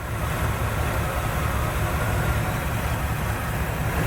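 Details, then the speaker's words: 1976 GMC Jimmy, the engine running after a new gas tank install: steady, even low rumble with the earlier squeak gone. Still running a little rich, and the gas gauge now reads correctly. "this thing's still running a little bit rich as you can see the gas gauge is also reading correctly"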